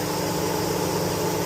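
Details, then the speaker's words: Chevy Tahoe, engine off, code P0128: electric radiator fan runs continuously with steady whoosh; erratic coolant temperature sensor reading, sensor being replaced. "I know you guys can't really hear me from the fan running. I'm going to see if um it's going to go off before I stop."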